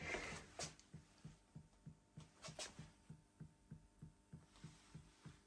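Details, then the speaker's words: Audio Innovations 800 Mk1 25-watt class A tube power amp, first power-up after a modification: soft steady bloop pulsing about three per second through the rear speaker over a faint hum; cause not yet found. "okay there's something not as it's supposed to be it's all tubes I know that if you can hear this it's some bloop going on"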